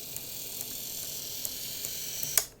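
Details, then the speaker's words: Graham Farish Class 44 locomotive, later split-chassis version, run forward and back on test track: light regular ticking over motor buzz, nothing stuck on wheels; suspected split gear on one axle; cracked axle gear. "the problem is that clicking i believe is going to be a split on one of the gears on one of the axles"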